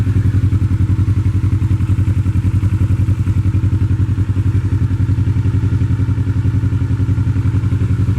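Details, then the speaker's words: 2007 Kawasaki Ninja 650 parallel twin after a swap to a used replacement engine with about 19,000 km, replacing a 49,000 km engine. A smooth, even, steady low idle with no knocks or rattles. "frigging bike runs a lot better than when I first bought it it is so smooth I can't believe how well this engine runs like let's listen the sound of this"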